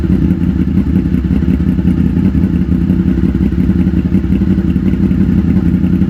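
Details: 2000 Honda VFR800 V4 motorcycle, previously wrecked and revived: steady, even low burble at idle with no misses, knocks or rattles. Normal idle.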